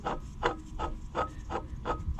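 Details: Marine generator on a sailboat, under test: dry rasping scrape repeating about three times a second over a low drone; owner suspects bad coolant water pump and ordered a new pump and gaskets.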